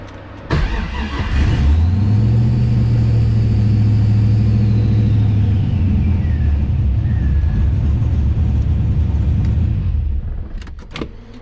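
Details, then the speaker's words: Hard starting on an LS-swapped 240SX with Holley Terminator X EFI on a hub dyno, during initial tuning with startup airflow/idle values restored; short crank catches, flares to high rev, settles to lumpy idle then cuts out; unusually sensitive start. "never had one that would wanted to be this sensitive of starting up there we go"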